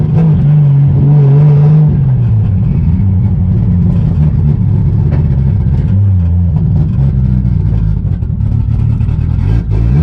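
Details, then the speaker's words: Budget 2JZ-swapped BMW E36 on its first test drive; the engine stumbles and surges under load, misfiring and breaking up badly, and the owner is still fairly sure the MAF is bad after testing. "so as you guys could tell the car was still breaking up really bad when we took it for the test drive so i'm still pretty sure the math is bad after testing it"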